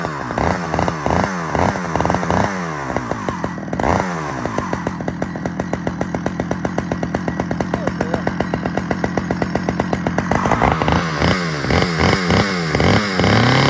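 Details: Stihl 009L chainsaw after fuel line and oiler repair: crisp throttle blips then a steady even buzz picking up cleanly, runs strong — normal running.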